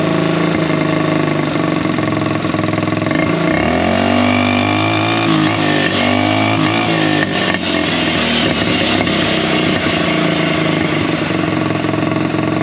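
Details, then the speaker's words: Buggy single-cylinder after air-filter foam work on the carburettor setup. It picks up revs cleanly and settles back with a steady beat, no popping or backfire, and is slightly louder. Normal running and revving. "Bon, la bonne nouvelle, c'est qu'il pétarde plus à un moment. Il prend ses tours, je pense."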